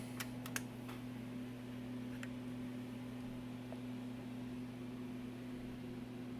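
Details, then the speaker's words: Macintosh PowerBook 165C on bench power supply during restoration, ROM installed: a few quick ticks then a steady low hum with no grinding as the hard drive spins up and boots; main board good, normal spin-up. "i hear it starting up yep she's booting all right so we know the main board is good"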